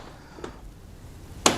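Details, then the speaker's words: Peugeot Partner/Citroen Berlingo van only 12 months old: faint click then one sharp metallic clunk as the door swings open, from a loose check strap bolt. "on the check strap so this fan is only 12 months old and already it's clunking but in this case it's very simple to see that the bolt is loose there and it's not fixed"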